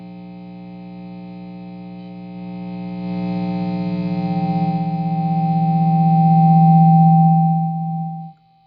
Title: PRS HDRX 20w - buzz/hum noise